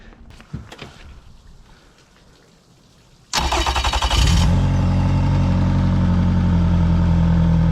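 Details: 2005 Yamaha F115 outboard after fuel injector replacement for rough idle, primed and on flush hose: quiet handling, then catches and settles straight into steady even idle with no stumble or misfire.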